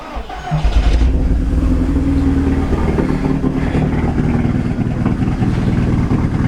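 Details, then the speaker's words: Copart car at start-up: lumpy, uneven idle with irregular stumble, running on three cylinders; coil pack failure suspected, not confirmed; black and blue smoke appears when revved. "hear she's quite rough so she's running on three cylinders so one of the um coil packs possibly could go"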